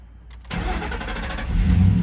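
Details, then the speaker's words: Ford Mustang with a crank-no-start and flashing security light, after a new transceiver fitted with the old cable: using the original key then the other key, the engine catches cleanly and settles into a steady, even idle. "it lets us start the car so I think the problem is the original key would need to go in there and then put the other key and then it's programmed"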